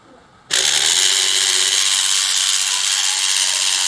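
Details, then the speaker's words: Scale-model giant robot drive with a 12 V bilge-pump motor on 12 V, graphite added to the gear holes: sharp spin-up to a high steady whirring buzz with a gritty edge; gears feel tight, expected to loosen with running. "All right, just feel a little bit tight. It's okay. If I run it a little, it should loosen up the gears."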